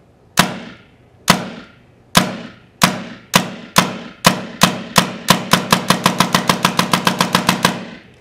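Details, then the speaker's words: A5 response trigger being tuned: sharp pops start about one per second and climb steadily to roughly four a second as the flow control is turned counterclockwise a quarter turn at a time under constant trigger pressure. "So you're going to continue to slowly make that adjustment, and then you can hear that the rate of fire is starting to speed up."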